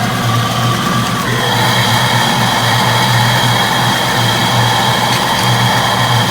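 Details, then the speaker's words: 1992 Mustang GT Foxbody V8 idling after the engine bay was reassembled, running without the mass air sensor: a steady, even idle with a smooth low exhaust pulse and no knocks or misses. Running really good. "but yeah it's running really good sounds good through the exhaust everything"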